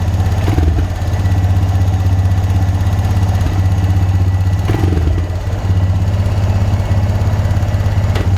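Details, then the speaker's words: Abandoned Honda Recon ATV, recently revived, running before front master cylinder replacement: single-cylinder thumping at a steady idle, even beat, no knocks or misses; running pretty good. "it's running pretty good"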